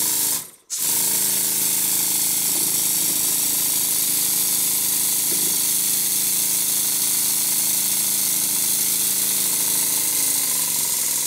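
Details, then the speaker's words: Stuart Double 10V model steam engine run on compressed air, slide valve slot filed wider, valve timing not yet adjusted: continuous hissing rush with faint rhythmic chuffing. Air still blows past the slide valve, though less than before. "as you can clearly see in here there is a definite improvement it's not blowing quite so badly and i haven't adjusted the valve timing yet either"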